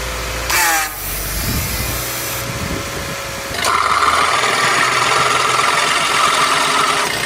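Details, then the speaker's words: Vehicle AC compressor with long-term wear, AC switched on: harsh steady grinding whir with constant high-pitched edge over the engine, like a grinder or blender; worn compressor grinding. "Compressor එකේ මේ විදිහට අවුල් වෙනකොට එන සද්ද තමයි අර grinder එකක් ගන්නවා වගේ. එහෙම නැත්නම් අර බ්ලෙන්ඩර් එකක් වැඩ කරනවා වගේ තියෙන්නේ. අන්න ඒ වගේ සද්ද එනවා."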